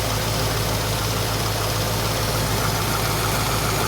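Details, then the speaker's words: 1973 AMC Hornet after vacuum repairs, with the ignition timing set dead on: a steady, even idle with a smooth low rumble and no knocks or misses; a healthy, normal idle. "cuz we are idling beautifully and smoothly now our timing is dead on actually"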